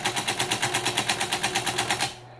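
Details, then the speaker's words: 1978 Brother Fairmont Automatic 12 (JP-12) electric typewriter, model 3612: Backspace held down hard repeats as designed, giving crisp, even clacks about seven per second for two seconds, then stopping. This is normal key repeat. "Some of the keys, if you press down really hard, they're repeating."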